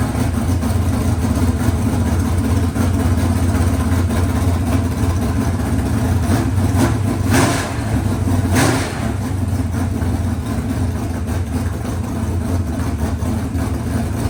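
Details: Freshly rebuilt 383 small-block V8 for a C10: strong steady low rumble, brief blips around 7-8 seconds, then settled even idle; healthy, normal idle.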